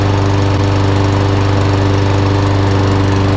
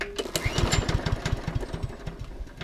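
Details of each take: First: Einhell mower after cleaning underneath and refitting belt: steady even single-cylinder drone, no misses or surging; runs properly, drive works but only on one wheel. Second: Small single-cylinder mower, fresh fuel, choke on: uneven spluttering pops fading and dying within three seconds; fuel tap turned out to be off, carburetor also suspected.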